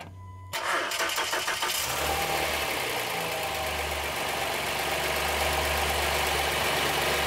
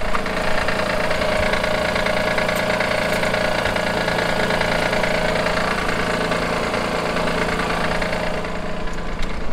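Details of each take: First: Honda Pilot III (2016) J30A9 engine after timing belt tensioner replacement: starts quickly and settles into a steady, even idle with no knock or tapping; normal healthy start and idle. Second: 2016 Honda Pilot III, J30A9 V6, cold idle: fairly strong steady knock about three times a second from faulty timing belt tensioner; disappears after 2–3 minutes warm-up, returns after 3–4 hours off; fixed by tensioner replacement.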